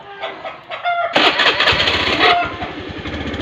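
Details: Honda Beat FI scooter with rough idle slowly surging up and down: catches after a cranking stutter, then idles unevenly, beat surging and sagging; rough unstable idle.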